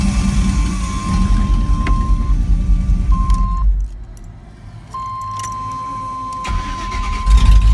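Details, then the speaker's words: LS-swapped OBS truck idling with a V8's low rumble and a steady high whine near 1 kHz from the transmission, recorded months after the swap while tuning. "yeah i had a drink so that's the video i was talking about where you can hear the whining pretty good"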